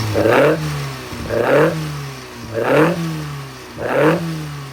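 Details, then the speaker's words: Engine hot, after timing chain tensioner blade rework: slow repeated revs, each rise and fall clean with no chain clatter at low speed; runs quiet and even, normal running. "Now, you might notice there that even hot it runs like down to 3 in and that's good to go."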